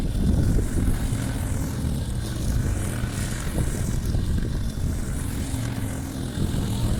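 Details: Briggs & Stratton Quantum engine on a Clipper lawn mower after spark plug work (previously wouldn't keep running after winter): deep steady drone holds speed through grass without surging or dying; normal running under load.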